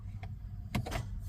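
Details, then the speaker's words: Nissan Juke F15 push-button start, intermittent no-start: pressing start with the brake on gives a few sharp clicks from the starter in the engine bay, with no cranking; owner suspects a failing starter motor and plans to replace it. "So I hear a clicking then one other clicking will happen. See the hear the clicking guys that's also coming from the starter guys in the engine bay."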